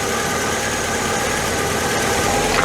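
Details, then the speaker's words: VW MK2 Scirocco after repair of its three-cylinder running: steady, even idle with no misses or hunting, no longer demanding extra fuel and not wanting to run richer. It is ready for adjustment; normal idle. "Oh, that is endlessly better than it was. We can now look at adjusting things, I think. All right, that's a good sign. It doesn't want to be run any richer."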